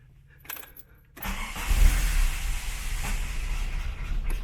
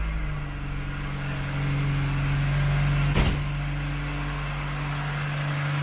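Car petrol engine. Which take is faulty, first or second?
second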